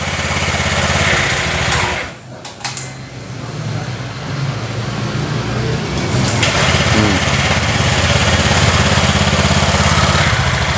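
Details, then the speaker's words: Honda Vario 150 scooter with no-start fault traced to a melted ACG socket to the ECU, with battery reconnected: brief crank, a catch, then steady even idle with no misses or knocks; healthy. "Nah, terus kita starter ya. Nah, dia akan normal."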